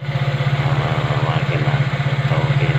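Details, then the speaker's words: Nissan LEC that would not start, after repair (coil checked, parts replaced and reassembled onto the engine): even, steady low thumping idle with no misses or knocks. The engine now runs. "at sana aandar na pagkakabit sa makina Ayan po umandar na yung"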